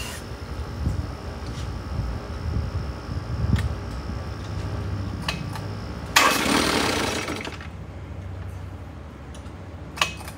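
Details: 1972 Johnson 6R-72D 6 hp two-stroke outboard, said to need an impeller, barely pumping water, tried in gear: rough, hunting beat that won't settle to a slow idle; owner suspects carburetor needs cleaning, unconfirmed.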